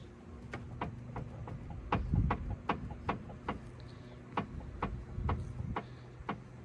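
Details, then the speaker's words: Car stationary on its wheels, steering shaken side to side: sharp, loud knock about twice a second, felt at the steering arm; worn inner track rod suspected, to be replaced. Steering knock. "If you shake the steering side to side, you can hear a really loud knocking. You can feel it."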